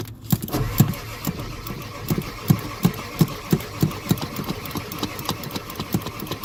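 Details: Ford diesel, no start, with the pedal being pumped: slow, uneven starter cranking with a rhythmic chug about two or three times a second, and it never fires or catches.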